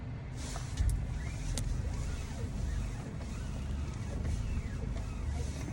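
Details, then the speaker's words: 2000 Honda Prelude driving just after a power steering fluid change with a stop-leak additive. A faint squeal sweeps up and down over the driving rumble and is still present. The additive may need about 100 miles to work. "still pretty squeaky I think you probably hear that"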